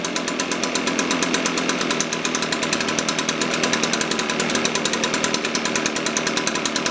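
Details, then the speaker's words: Echo PB-580T leaf blower, older fuel, cold start, reported to bog on throttle, vacuum leak suspected: fast even two-stroke popping at a slightly lazy idle with a sharp rasp; runs but idle sits low, needs carburetor tune-up. "um i definitely think it needs to be tuned up the idle's a little low let's do that"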